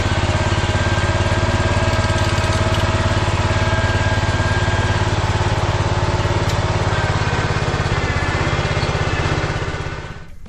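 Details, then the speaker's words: Kohler K-series engine on a 50-year-old Cub Cadet 1450 Hydro rescued from scrap, hot and fresh paint smoking; steady even single-cylinder thump at fast idle, likes a little choke to start, runs smoothly until tank runs dry: normal running. "Runs pretty good. It just ran that tank out of gas, and I'm kind of jammed in here between the car and the thing, but it works."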